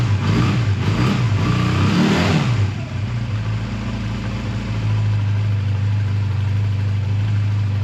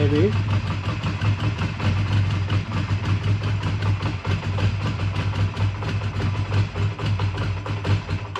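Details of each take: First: A 2001 Honda Rebel takes a few throttle blips, then settles to a steady, even low idle with no clatter or hunting, after a choked cold start at 22° that stalled once and a suspected minor fueling problem with a gas drip; normal idle. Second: A 2001 Honda Rebel is cold-started with full choke after sitting overnight; the idle pulses unevenly, lumpy and hunting, then stalls. The mechanic suspects it ran out of fuel and sees gas dripping from a tube, so carb work may be needed.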